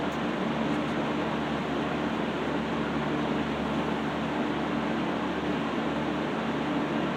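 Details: Restored 1960s Phoenix 16" box fan by Frigid with freshly cleaned and serviced General Electric motor, warming up on low: smooth, even airflow hiss and soft steady hum, no ticking or scraping; normal running.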